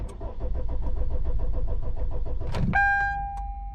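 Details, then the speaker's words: 2013 Kia Optima with no PCM communication: steady starter cranking at about three and a half beats a second with no catch, then warning chimes; cranks but no start, needle not moving. "well let's see if we can able to start the car now still no crank no start all right i'm gonna crank it again"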